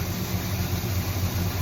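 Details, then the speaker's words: Engine after distributor replacement and timing set the old-school way, still cold before final total-advance adjustment: smooth, even low idle with a steady beat and no skips or misfires; running clean. "This sounds pretty good. It's cold though."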